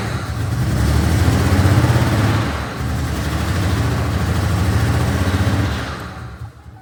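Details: Ford Bronco II engine running with no exhaust manifolds, O2 sensor just fitted, leaking valve cover gaskets: lumpy, uneven rough running with unsteady surges, then drops away; owner suspects a fuel leak dumping fuel contributes.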